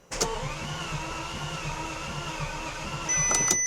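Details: Bentley Continental GT during engine swap, in park with brake applied and fuel relays removed: steady even starter cranking, regular rhythm, no clunks or grinding, engine spins freely without firing; normal cranking without fuel.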